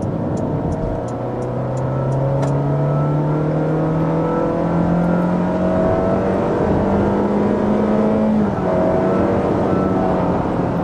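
Engine drone climbs smoothly under full throttle, the pitch rising and then holding steady as the CVT keeps revs up. Clean, healthy pull.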